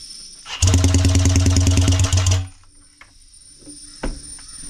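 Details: Four-stroke weed eater engine spun by drill, turbocharger feeding about 40 psi boost into intake for Jake brake demo: loud, fast, rhythmic barking pop for about two seconds; compression release engine brake bark.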